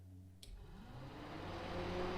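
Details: Jeep 4.0 liter with mechanical fan swapped to full electric fans wired through relays, first test; a click then a smooth whoosh spinning up to an even low-speed hum with no rubbing or rattle, normal.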